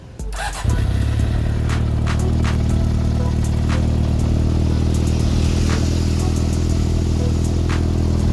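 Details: Yamaha XJR400 idling steady, low and even with no top-end ticking after a valve clearance adjustment and manifold replacement; the engine sounds healthy and quiet.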